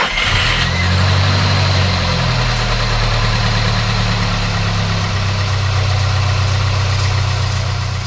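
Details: Crashed VW Polo R Line first start after engine wiring harness swap, breather pipes off; uneven lumpy wavering idle with a rattle like the chain on the case, EPC light on: rough idle, cause undetermined.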